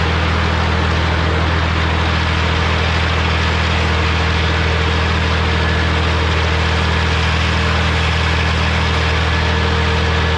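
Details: Morra F25-6 disc mower on a tractor, test run after repair (it had a pod bearing failure the year before and is down again). Steady deep tractor drone with the mower turning smoothly and no metallic clatter or contact knocks; sounds healthy.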